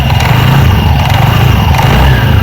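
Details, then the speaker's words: TVS Ntorq 125 BS6 scooter revved with CVT case open: deep loud revving with uneven low flutter as the belt runs loose and slaps; worn variator rollers let the belt run slack, causing sound and pickup problem. "तो पूरा तरह से गे जो हमारा loose चल रहा है क्या कारण है वो आगे वीडियो में हम बताएंगे"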